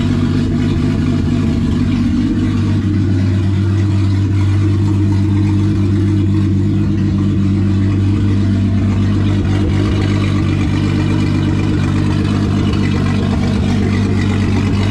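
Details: VW VR6 after rebuild with turbo fitted and open throttle body tied together: deep steady rumble with even beat settling toward idle; running smoothly.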